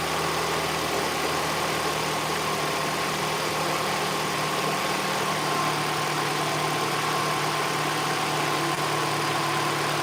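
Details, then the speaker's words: Mini Cooper R56 engine warmed up, after a loud noise heard only at start-up (still undiagnosed): steady, even smooth idle with no knocks or rattles; running normally. "Apart from that loud noise, the engine is now nice and smooth."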